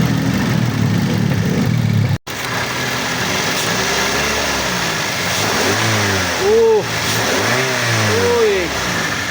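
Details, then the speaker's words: 2014 Avanza Type G, one owner and original, idling at about 700 rpm and then given throttle blips. The pitch rises and falls smoothly with no knocks or rattles; the engine runs healthy and strong. "Macan suaranya. Udah inilah, udah layak Anda pegang ini."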